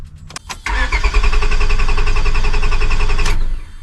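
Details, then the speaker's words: 2002 Honda Accord Coupe V6 after timing belt, water pump and radiator replacement: starter churns steadily about three seconds but engine never catches; crank no start, fuel pump heard priming, owner suspects bad main relay. "Nope. Could I have gotten a bad main relay? You hear that sound, right?"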